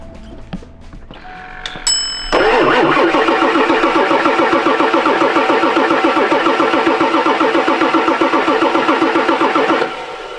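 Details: 1999 Ford F-450 7.3 Powerstroke diesel, sat for years, batteries charged: starter cranks evenly at three to four compressions a second for about eight seconds, never catches. Fuel present at dark filter, but no tach signal; suspected no computer power or bad ground. Crank, no start.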